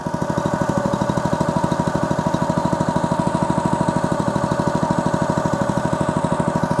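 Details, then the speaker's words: Honda GX200 small air-cooled engine test-started after an oil change to Amsoil 100% synthetic SAE 10W-30 small-engine oil, choke on, throttle about halfway: steady even single-cylinder beat, about three firing pulses a second, no misses or knocks; runs normally. "Listen to that little Honda engine just purr."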